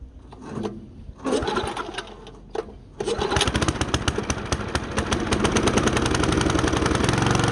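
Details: Wood chipper single-cylinder engine after new belt install, Marvel Mystery Oil and fuel stabilizer added; fires after a few pulls, steady even beat with no belt squeal; normal running.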